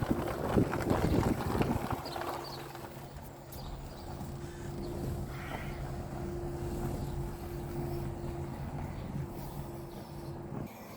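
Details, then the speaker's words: Renault Zoe GT Line R135 electric car in B mode at walking pace: steady low two-note hum over light wind, the normal pedestrian warning sound active between 1 and 30 km/h, which can be switched off. "I just want to show you the hum the car makes when it travels between 1 and 30 kilometers an hour, just to protect the likes of pedestrians in built up areas."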